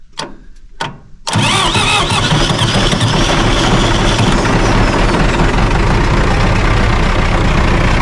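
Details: John Deere 450C dozer diesel at 138.5 hours, newly fitted gear-reduction replacement starter, smaller than the old one, first try, out of gear: a couple of quick starter bumps, then the engine catches at once and settles into a steady, even run; normal starter cranking.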